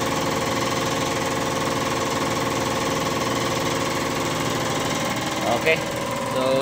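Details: Kia Bongo III J3 Euro 4 diesel with misfire, vibration and black smoke: steady even clatter at idle, no misfire, shake or stumble; normal diesel idle.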